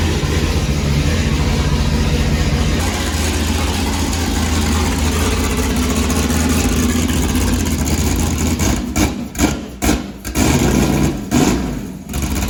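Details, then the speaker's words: Built motor in a newly bought race car, first run, needs upgrades; fires and idles with uneven lumpy pitter-patter, sounds like a tractor, cause unclear. "i'll at least let you hear it run and it sounds like a tractor not so much like a case more like a john deere a little pitter patter"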